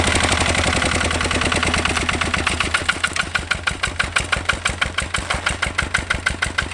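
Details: 1966 Lister LD1 single-cylinder diesel on restored auto truck, completely rebuilt, just cold-started on a freezing day: crisp, regular chuffs settling to about three beats a second, clean and even, no knock; running healthy.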